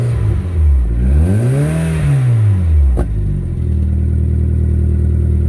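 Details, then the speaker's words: MG ZR with newly fabricated and welded exhaust back box, out of gear; revs rise and fall smoothly then settle to a steady idle, quieter than before, no leak puffing or rasp. Normal exhaust. "Sounds sweet, doesn't it? Sounds quieter than it did fucking this morning. Nice."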